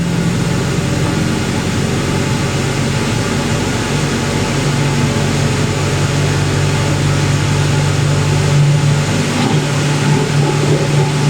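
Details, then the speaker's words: 1980s Ariston by Colston Electronic 3000 spin dryer, auto pump version, spinning at 3000 rpm while draining through hose: steady low hum with even motor tone and rushing water until the pump empties; drain pump running normally. "That's the pump empty, so I would let go."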